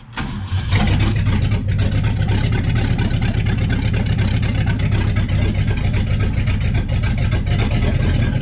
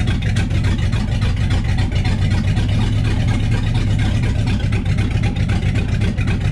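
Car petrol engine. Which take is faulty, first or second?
second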